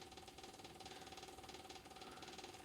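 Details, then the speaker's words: Tractor at key-on with engine off after sitting outside at 23 degrees: quiet, fast, even ticking buzz of the electric fuel pump priming before a cold start, seeming long but working normally. "and then we'll start it you can hear the fuel pump seems like a pretty long time to me"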